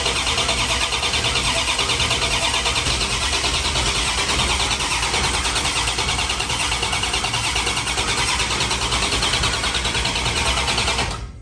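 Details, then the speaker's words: 1973 Dodge Dart, freshly rebuilt 360 V8 swap, cranking with a new battery before adding spark to build oil pressure: brisk, even cranking for about eleven seconds with no dragging; much better than the old battery. "So we'll see how fast this cranks it over. Oh yeah, so much better."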